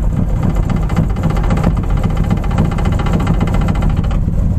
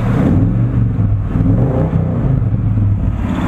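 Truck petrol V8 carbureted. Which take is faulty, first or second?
first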